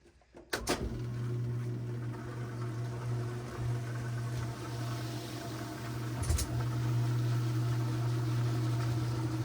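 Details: Whirlpool top-load washer on drain and spin after repair: a steady low motor hum with pump drone, smooth and even with no knocking or grinding; draining and spinning normally.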